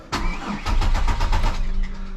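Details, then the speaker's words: 1999 Chevrolet Malibu that has sat unused for a long time, fuel likely stale: even starter cranking chugs for a while before it catches and settles to a steady idle, holding rpm; extended crank before starting. "the full fuel's probably shot it's cranking over at least we got ignition started whoo all right holding rpms all that look at that"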